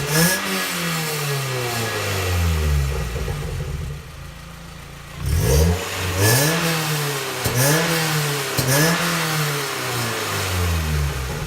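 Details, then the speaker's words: 2006 Mazda Miata, about 20,000 miles, newly installed Goodwin Racing Helmholtz exhaust, free revs without load: hollow tinny metallic rasp over exhaust note through midrange, heard from Helmholtz chamber area; owner says far worse under load at wide open throttle. "I can definitely hear a hollow metallic sound coming from the Helmholtz chamber area itself,"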